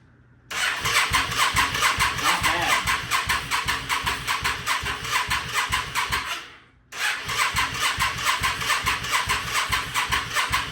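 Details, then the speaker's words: 1998 Yamaha V Star 650 that won't start: steady starter cranking in two long bursts with no firing. It holds fuel pressure, but the owner suspects the carb float needles are stuck closed and drains the float bowls. "well it's it doesn't seem to be pulling any more fuel so I don't know if the uh if the needles got stuck in a close position hopefully not"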